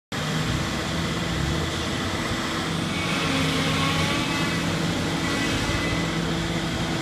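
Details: Heavy demolition machine running with a steady droning hum and a thin high whine on top; the problem is the machine itself, not the shear, and sounds expensive; abnormal machine noise, cause unknown.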